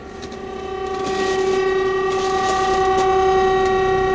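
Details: Heat pump making a weird noise: loud steady hum at fixed mid pitch with ringing overtones that swells and holds; abnormal tonal noise, source not yet identified.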